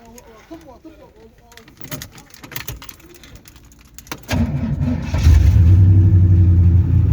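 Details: 3rd-gen Camaro 305 TPI, fixed crank-no-start, injectors plugged back in: keys rattle, brief crank, engine catches and settles straight into an even, steady idle; now starts and runs normally.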